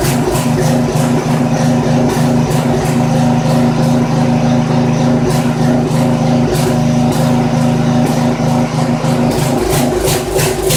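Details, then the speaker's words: Poulan 900 rototiller with a small Briggs & Stratton engine, run with the air filter off. It runs loud but uneven with stumbles and surges. Dark muffler deposits suggest it is running rich, and the owner concludes the carburetor needs cleaning. "no doubt about it got a clean out that carburetor"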